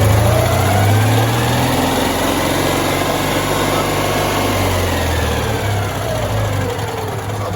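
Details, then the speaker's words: Citroen 2CV small twin after carburetor work, with good charging voltage: smooth steady idle, a light throttle blip rises cleanly and settles back to about the right idle speed; idle speed still needs adjusting; normal rev and return to idle. "charging nicely because that's good it settles back down to idle about the right speed that's good"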